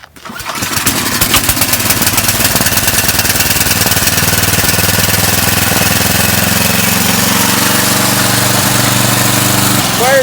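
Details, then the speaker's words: Craftsman 9/24 snowblower (model C950-52109-0), non-runner, after carburetor cleaning, tank flush and fuel line blow-out: fires on the first pull after a couple of primes and holds a steady, even buzz with no surging. "up boys this thing runs awesome it fired great up"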